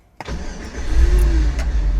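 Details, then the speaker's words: 1983 Toyota Land Cruiser FJ60 with swapped-in used 5.3L LS V8, noisy fuel pump: brief crank, catches at once, deep steady even idle with no misses; healthy start. "So it fires right up, sounds pretty good, idles real nicely."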